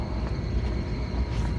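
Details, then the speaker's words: Three-phase scroll condensing unit on a walk-in cooler at first start-up after charging: loud, rough, steady low rumble with a rattly drone, and suction pressure not dropping. Compressor is running backwards; swapping two legs corrects rotation. "so you want to listen to the sound and then see if your suction pressure drops okay so there it is running look at the pressures and listen to it so that's going backwards okay so that's going backwards"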